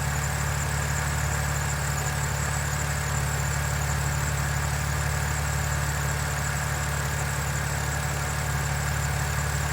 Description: BMW N52, still no ticking after 2700km. I am happy.